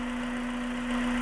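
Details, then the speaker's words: Honda Integra Type R under restoration, engine running: constant whooshing hiss over a steady low hum; intake noise continues even when the suspected part is covered, so a new intake is planned; source unclear. "I also need to get a new insight because as you can hear this one is making a very strange shooting noise I"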